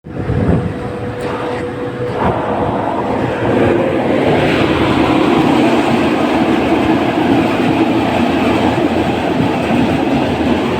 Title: #332 AHU Blower Bearing Drive End Side Abnormal Sound Issue Identify Work @javeedhvactechnician7760